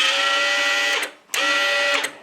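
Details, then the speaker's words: Chicago Electric ~125 A flux-core welder (DC-converted), repaired after burning up, trigger squeezed with transformer disconnected and switch bypassed: two short bursts of smooth, even wire-feed motor whine; feed runs cleanly. "so now when I squeeze the trigger reminds you the Transformer is not hooked up"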